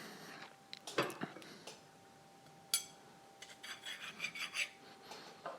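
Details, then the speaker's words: Anet A8 3D printer during assembly, carriage sliding on linear rods after silicone lubricant was applied: gritty rasping bursts on each slide, only slightly better than before. Rough linear bearings, suspected to be low quality. "okay so I've put the uh the lubrication onto these bearing it's a little bit better but it still doesn't sound great I mean this is probably one of my biggest complaints um they're not the like highest quality bearings that you get in this kit"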